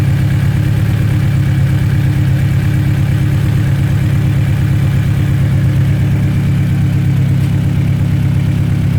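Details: Honda Ballade, warm engine at idle: steady low drone with a fast, even chatter riding on it, timing chain tensioner rattle from a slack chain.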